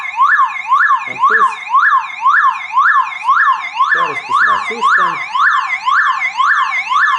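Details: Car alarm siren keeps sweeping up and down loudly about twice a second after its wires are cut with tongs, powered by its internal backup battery, so the siren must be removed.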